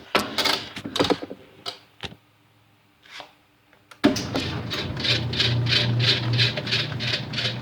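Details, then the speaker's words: Whirlpool/Kenmore direct-drive washer after motor coupler replacement: quick rhythmic agitation about three strokes a second with light scraping from agitator dogs rubbing a small gear; harmless, washer agitating normally. "much better and that grinding sound is just agitator dogs you're just for whatever reason they're like rubbing against like a little gear on it which making that sound but that's no big deal it still works and still works just fine"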